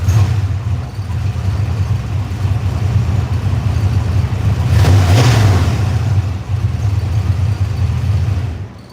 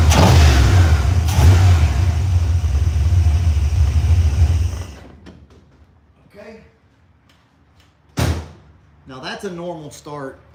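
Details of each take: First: Engine cranked in about 66°F weather, first start attempt: starter churns at roughly three beats a second for a long stretch with uneven rhythm; long hard start, second start quick; fuel vapors making it rich suspected. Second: Engine catches immediately and settles into a strong steady idle, then shuts off; clean quick warm start with no hesitation, no visible leaks or drips.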